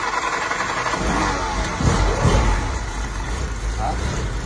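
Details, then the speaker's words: Ford GPW WWII Jeep four-cylinder just restarted after lay-up, points set to 0.40, carburetor primed, before oil change: settles into low even rumble with a couple of throttle blips; runs very well. "Ça tourne super bien. Bon, on fait le démarrage. Bon Étienne, la bonne nouvelle c'est qu'on est sûr qu'elle démarre."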